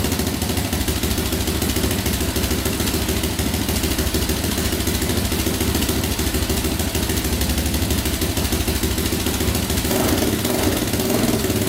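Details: 2004 Yamaha Raptor 660 quad, choke pulled manually, before carb cleaning: steady, fast single-cylinder putter holding an even idle with no stumbles or hunting; owner thinks compression sounds fine, no air leaks suspected.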